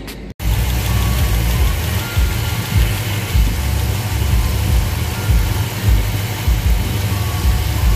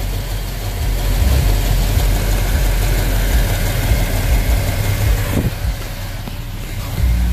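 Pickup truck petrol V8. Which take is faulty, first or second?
first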